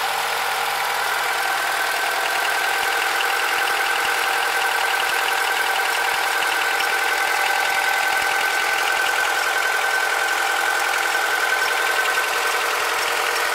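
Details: Honda K20Z2 engine at idle: a constant high-pitched whirring with a faint fast ticking on top; an abnormal foreign noise, source unclear.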